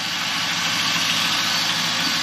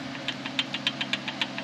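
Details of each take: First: 2001 Camaro SS V8 after a new Cardone power steering pump, lines and new belts, idling while warming up toward thermostat opening: steady even idle with smooth hiss, no whine, knock or surge; sounds healthy. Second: 2001 Camaro SS, factory power steering pump that whined after warm-up: sharp light ticking about seven times a second over a quiet hum; the pump has play, worn bearing causing the whine.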